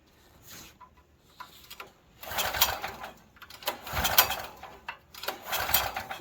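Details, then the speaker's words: Used Stanley 8000 watt all-weather generator, sat about four years, cold outdoors, starting fluid sprayed into carburetor throat: three hard pull-cord cranks, engine spins but never fires; cause unknown, owner doubts moisture and plans to check spark plug wires. "i don't think there's a moisture problem with the the electrical usually i would think if you spray fuel right inside the throat it would pop"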